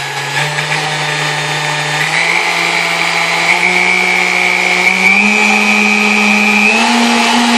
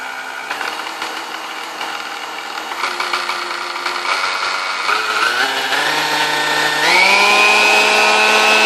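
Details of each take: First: Vintage Kenmore stand mixer, apparently Westinghouse-made, after service with dry bushings' wicks packed with oil: smooth motor hum climbing step by step through speed settings, no screech (previously from lack of lubrication); normal running. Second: Vintage Kenmore stand mixer, believed Westinghouse-made, first power-up before service: a high whine and screech that steps up in pitch with each speed change, smoother at lower speeds, sticky, brushes smelled. Cause was bone-dry motor bushings, cured by oiling the wicks.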